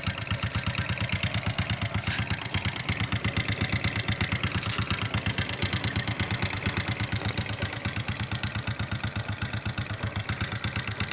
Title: honda xrm 125 knocking sound